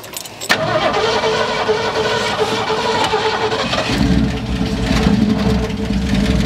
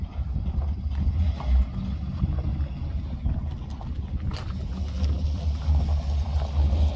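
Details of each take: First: 1972 Ford F100, unrun over 10 years, first start after tapping the sticking carburetor and squirting fuel in: cranks, catches and idles rough with an uneven, surging beat; running on what's in the carb, may die. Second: 1972 Ford F100 driving after 12+ years idle, running on a replacement carburetor with cleaned fuel lines: deep, even rumble under way, no misses or knocks over road noise; normal running.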